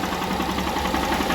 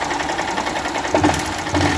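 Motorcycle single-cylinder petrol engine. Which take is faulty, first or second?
second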